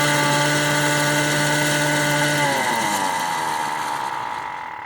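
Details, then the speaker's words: DIY electric motorcycle motor and controller on test, running in reverse at top speed with hall sensor error, 120° hall angle, motor probably still cold: strong steady multi-tone whine, louder than normal, falling as it coasts down; cause unconfirmed, hall sensors or controller suspected. "it makes a noise and i don't like that noise you see there should be reverse here motor is more noisier and that's the top speed"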